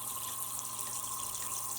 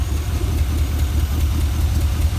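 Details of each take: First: Junkyard GM 5.3 V8 fuel injector, off the engine on a pressurized fuel rail, cleaned with brake cleaner: steady soft hiss of fuel spraying with no clicking, won't shut off even when cycled; stuck-open leaking injector. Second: Junkyard 5.3 LS V8 for a 1955 Buick Special, first run with mufflers fitted and fuel pump hooked up: deep, even idle burble with steady low pulse, no knocks or misses; runs good, oil pressure good.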